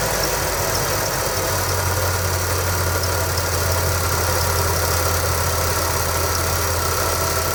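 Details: 1989 Chevrolet S10 with 4.3 TBI V6 at idle: low steady drone with faint underlying shake, no clear miss; rough vibrating low-rpm idle, owner suspects one misfiring cylinder and fuel getting into oil, unconfirmed.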